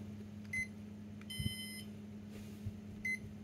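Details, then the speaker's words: Japanese-market Mitsubishi IH rice cooker power board powered on with the blown thermal fuse in the base sensor circuit bypassed by a pin in the socket: short high beep, longer chirpy tone, another beep over faint hum, normal power-up. "Mình sẽ bật nguồn này. Ok nhá. Đã lên nhá các bạn nhá."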